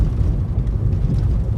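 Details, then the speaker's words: Nissan Leaf interior while driving on rough concrete, after refitting the original front strut mounts in place of KYB ones: only soft, even tyre rumble, no knocks or clunks; quiet suspension. Owner unsure whether the earlier knocking was missing rubber bushings or defective KYB mounts. "Підвіска відрабатує на всі 100. Тиша в салоні. Боже, як класне. Резиновий просто звук такий шин і тупо як м'ячик катиться без всяких стуків."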